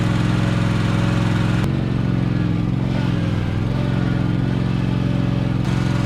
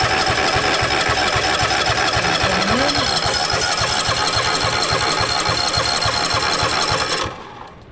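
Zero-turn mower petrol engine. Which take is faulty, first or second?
second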